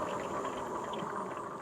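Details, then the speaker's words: Magicycle Jaguarundi e-bike while riding: soft fast swishing whir as the front brake pad lightly rubs the holes in the disc rotor; harmless, no squeak. "e noise that you hear on the front brake is the rotor rubbing up against the uh the brake pad it's actually no big deal I actually prefer to hear that than hear squeaking of brakes quite frankly"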